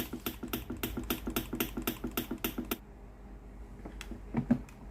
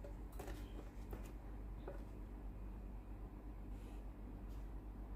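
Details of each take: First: Philips PSG8160 steam iron that powers on normally but gives no steam. Sharp, regular clicking at about four a second comes from the water pump, then quiet. The pump works, but the boiler heating element is open, so no steam. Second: Philips PSG8160 steam iron after boiler replacement: boiler now heats, so the water pump switches on with a steady low buzz, pumping water to the boiler and sending hot water out; the pump is running normally.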